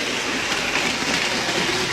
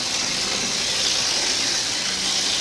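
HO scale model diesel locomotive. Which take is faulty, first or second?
second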